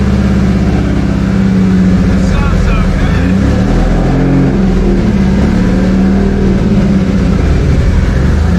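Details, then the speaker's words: Toyota 2JZ engine, first run: loud, steady drone held at a fast idle that never drops to a normal tick-over; high idle, possible vacuum leak or a sensor not reading correctly suspected. "think so it was revving a little high we're contemplating a possible vacuum leak or maybe a sensor not reading correctly"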